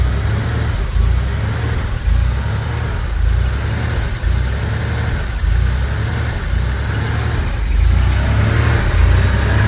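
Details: Porsche 911 3.2 Carrera after replacing the engine speed, TDC and cylinder head temperature sensors and the coil: a deep, steady flat-six burble settling into an even idle with no misfire, knock or stumble.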